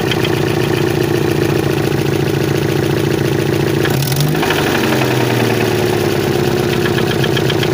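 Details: 1992 Chevrolet Chevette engine at idle. A steady idle with a faint, uneven knock running through it; the owner is asking for help to locate where the noise comes from.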